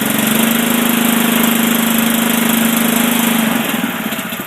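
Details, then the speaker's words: Billy Goat power rake thatcher/dethatcher with Honda engine, throttle lever raised so the machine runs faster: steady, even hum at higher speed without misses or knocks, easing down near the end; healthy running. "This is your gas that allows the machine to operate faster."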